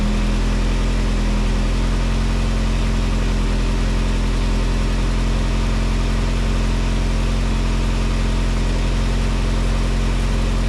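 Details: 1987 VW MK2 Jetta after a 3-speed automatic to 5-speed manual swap, idling during garage testing of first gear and reverse: steady, even idle, smooth low hum, no knocks or slipping noises; engine and driveline sound healthy.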